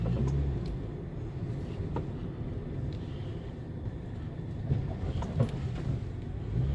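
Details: 2011 Nissan Cube driving over an unpaved road and speed bumps: scattered metallic clunks and rattles from underneath over road rumble. On the lift, the first muffler after the catalytic converter was found sagging and knocking against the body.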